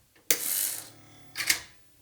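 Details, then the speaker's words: MemoryWriter 6040 floppy drive after repair with a newly designed replacement gear, lightly oiled: two short harsh rasping whirs at power-up, then quiet. Rough gear mesh from imperfect teeth, but the drive works. "yeah that noise was horrible but it does work"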